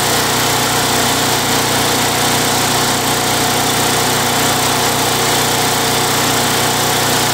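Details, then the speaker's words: Craftsman Eager 1 mower, Tecumseh 92cc engine, after repair of surging: steady, even drone holding revs without rising and falling; running smoothly, repair successful. "well guys well guys it's running pretty good um I think that's a successful repair"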